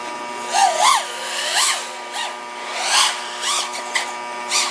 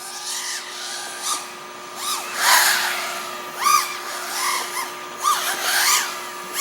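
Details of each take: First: OxFPV Acrolite 230 quad with T-Motor F40II Pro motors and Betaflight 35A ESCs, in flight during PID tuning after raising P gains on a cold day: crisp, sharp motor whine snapping cleanly with throttle punches, normal well-tuned motors. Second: OxFPV Acrolite 230 quad with T-Motor F40II Pro motors, Betaflight 35A ESCs and F4 controller during PID tuning: motor whine surges and dips with a wobble in corners, mild propwash oscillation; pilot suspects D gain, lowers P gains.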